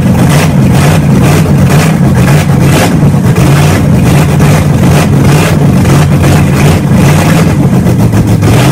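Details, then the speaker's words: Engine just started after three and a half years sitting, new starter fitted, camshaft being broken in: loud, steady open-header rumble at a fast even idle, regular firing with no miss or knock; runs healthy. "so as you guys just saw we broke in the camshaft had the thing running had an idle and good we finally did it"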